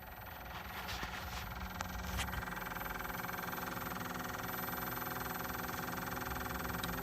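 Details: Black & Decker 1.5 HP pool pump running: a steady motor hum with a light, fairly regular ticking about three times a second.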